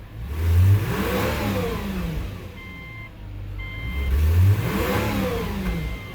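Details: 2006 Subaru B9 Tribeca just after engine installation, coolant bleeding with heater at max and engine warm: two throttle blips pull up smoothly and settle to steady idle, no knocks or rattles; healthy.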